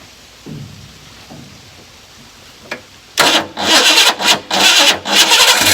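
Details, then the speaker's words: 1990 Ford Mustang Foxbody GT unrun for years, distributor just reinstalled with timing and TPS not set: cranks, catches, then surges unevenly instead of idling steadily; rough untuned running. "Keep in mind, nothing is set, timing's not set, TPS isn't set, nothing's set. So it may run, you know, not 100%, but hey, I'm happy with the outcome for today."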